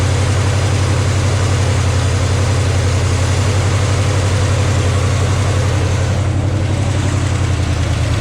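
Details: 1972 GMC 1-ton ramp truck, 454 Chevy big-block, revived after 27 years, fuel pump reconnected: deep steady idle with an even low rumble, no knocks or misses; oil pressure pegged, running healthy.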